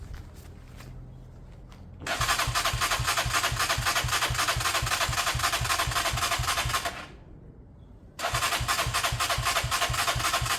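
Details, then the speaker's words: Beaten-up old Lexmoto single-cylinder bike with many parts missing, choke off and possibly warm from the sun: it fires with quick even beats, runs about five seconds, dies, then catches briefly. The carb was found empty, meaning fuel starvation. "so I went to drain the carb and there was nothing in it"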